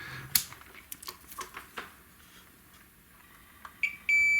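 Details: 25-inch K7000 arcade monitor, dead after arcing flyback: after a few probe clicks the meter gives a steady high continuous beep across the horizontal output transistor, showing it is shorted.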